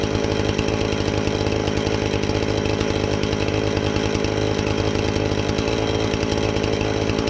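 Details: Husqvarna 450 X-Torq chainsaw that wouldn't run, new chain and bar fitted, started to check and adjust the carb (special adjusting tool bought): strong, steady high-pitched two-stroke buzz holding even under load, no stumbling or surging; normal running.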